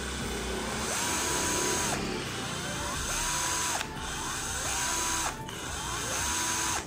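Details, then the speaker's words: Sunc S12 12 V cordless drill: four trigger pulls with the motor whine climbing smoothly and clean spin-downs. The trigger and variable speed are fine; only the speed selector sticks. "triggernya oke. Tadi yang nyangkut hanya di percepatannya saja ya."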